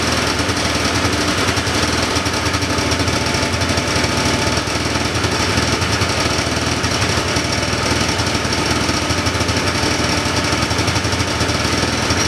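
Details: 1979 John Deere Cyclone 340 two-stroke snowmobile, revived after sitting, running on choke: harsh, raspy, uneven stumbling beat. Fuel pump works but little fuel drawn; owner suspects fuel starvation or a gummed carburettor idle circuit.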